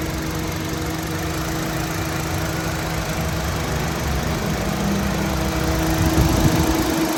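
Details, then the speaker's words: 2013 Honda City 1.5 V i-VTEC with 10,000 km: even, steady idle with a smooth low hum and no knocks or misses, and no smoke or vapor. Engine in good condition. "ไม่มีไอนะครับเครื่องดีนะครับอ๋อประมาณนี้พี่น้องเสียงเครื่องประมาณนี้ครับ"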